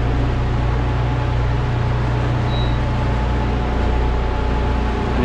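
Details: Walk-in freezer refrigeration unit after replacing the receiver, filter drier, discharge line section and control, power back on and pulling down to set temperature: steady low hum, even fan whir, no knocks or rattles; normal running.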